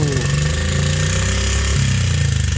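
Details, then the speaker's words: Honda CRF50/XR50 single-cylinder after valve clearance adjustment, previously wouldn't run: runs at fast idle with light, rapid clatter over the exhaust; valves sound loose, valves were suspected to have been set too tight before. Finding: valve tick, cause unconfirmed. "I mean, the valves sound horrible, but the bike's runni"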